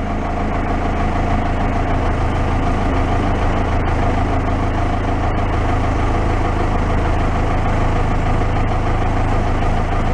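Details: Case 580 backhoe diesel that had been sitting, started warm without glowing: low, steady rumble ticking over evenly at idle, no misfire or knock. Normal diesel idle.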